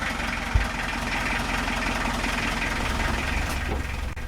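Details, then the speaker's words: Narrowboat Aitch's diesel, likened to an old London taxi engine, just restarted after repair and fuel-system bleeding by a mechanic, ticks over at an even, steady clatter with no stumbles or knocks, running cleanly: normal idle. "You can hear it's an old London taxi engine."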